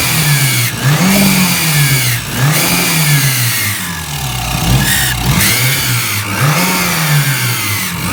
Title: Evo 6 poor Rickover and screeching noise when revs come back down off throttle